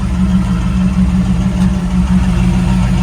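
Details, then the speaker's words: Rebuilt 1987 Pontiac Firebird Formula, 350/383 stroker, 163,000 miles, after rocker lash adjustment and mass airflow sensor and timing fixes. Deep, even V8 idle rumble with lifters ticking and no misses; running smoothly. "you can hear the lifters ticking away we had the rock the last video i did we took we did the the rockers for lash them it's running good"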